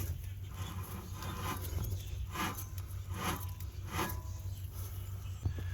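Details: Rear wheel bearing of a 2018 Nissan Altima turned by hand during replacement: quiet, rough scraping repeats about once a second as the hub turns from the worn bearing.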